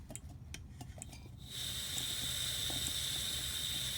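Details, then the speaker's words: Coleman canister threaded onto a Coleman Peak 1 stove, valve opened unlit (no piezo): steady even high-pitched hiss without sputter — normal gas flow, nothing wrong with canister or stove. "Now I can hear it, but that gas is flowing just fine. So there's nothing wrong with the canister."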